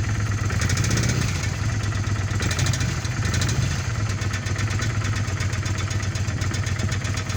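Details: 1997 Kawasaki Vulcan 800 V-twin with 70,000 km at idle: lumpy beat with a light, rapid metallic ticking over it; engine knocking at idle, source unknown.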